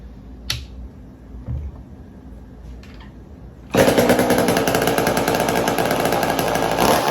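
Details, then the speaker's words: McCulloch Mac 120 chainsaw, bought as non-running and just got running: a few pulls, then it catches with a ragged, wandering two-stroke buzz; rough running, owner thinks it needs a carb rebuild. "There's still some work that needs to be done with this saw to get it running tip top 100%, but I would feel like I'll get there, because I think I need to do a carb rebuild on it"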